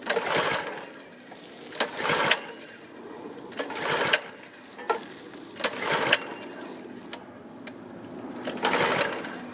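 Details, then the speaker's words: Husqvarna PW3200 pressure washer (3200 PSI, 2.5 GPM), Briggs & Stratton CR950 208cc horizontal-shaft engine, flood-submerged, fluids drained, fresh fuel, on choke: repeated rope pulls, turns over but never fires; stop switch was left in off position. "part of the problem is I had the uh switch on the off position and I decided to try the choke on off"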